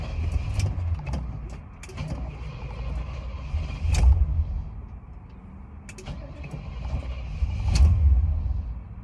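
Long stretch of steady low churning from the starter, surging in waves around every four seconds, but the engine never catches. It's cranking hard and not firing.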